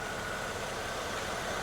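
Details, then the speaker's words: Mercedes E350 idling after alternator replacement, fixing battery light staying on; charging voltage rising to about 13.7–14 V. Quiet, steady idle with faint even whine (secondary air pump running), no knocks or misses: normal idle. "here is our new alternator as you can see everything looks good you can hear the secondary air pump running so this is good guys we're good to go"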